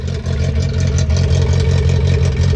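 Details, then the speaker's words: Datsun 620 California-import pickup idling with the choke off; steady, even, extremely quiet low idle with no misses, knocks or smoke, healthy. "i should hear engine wise extremely quiet it's on choke chokes out"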